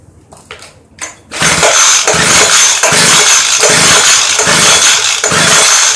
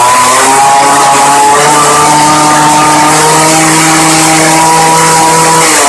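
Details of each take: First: Craftsman Bushwacker 25cc hedge trimmer, model 358.795792, broken fuel pickup line: fires after pulls, buzzes in uneven bursts only on primed fuel, choke closed; fuel starvation. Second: Early-2000s Craftsman Bushwacker 358.795792 19-inch 25cc hedge trimmer after replacing broken fuel line and crumbling foam air filter, 40:1 fuel: high buzzy two-stroke whine holding steady pitch with small wavers, running cleanly and revving freely.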